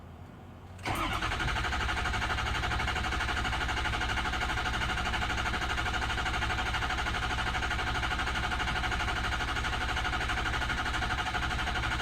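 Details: Ford 6.0 PowerStroke diesel after BulletProof oil cooler install, FICM, ICP sensor connector and air filter assembly, oil topped off and primed; brief crank, then lights off promptly into a smooth, steady idle with no stumble or knock.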